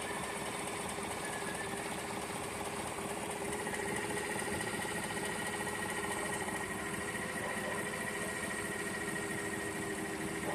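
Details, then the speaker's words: Gen V Chevrolet Silverado with L83 5.3 V8 at steady idle: an uneven, light woodpecker-like tapping, roughly two a second, comes and goes; cause not identified. "then it just stops. There it goes. Sounds like a woodpecker."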